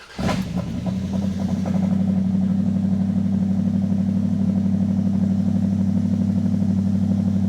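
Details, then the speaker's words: Dodge crew cab Charger project with 5.2 L 318 V8, Seafoam poured in crankcase, cold start: engine catches, faint quick ticking for a second or two, then settles to smooth steady idle; ticking at cold start, probably a lifter. "and it's It was ticking. I heard it tick for a second and then it stopped."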